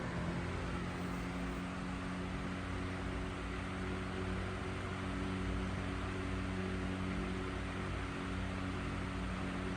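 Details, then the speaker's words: Vintage Emerson 77646 desk fan at medium speed, blades repainted black. A smooth, constant low hum with a soft steady air rush and no ticking, rubbing or wobble; runs really nice with a cool sound. Normal, healthy fan motor. "It runs really nice. I really like this fan. Has a really cool sound to it."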